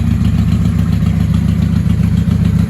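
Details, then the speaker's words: 1995 Honda Shadow VLX 600 VT600CD, stage 3 jet kit, open exhaust, K&N filter, charged battery, auxiliary fuel: lumpy V-twin idle hunting unevenly, won't sit idling; owner suspects carbs need resynchronizing. "She doesn't want to sit here idling."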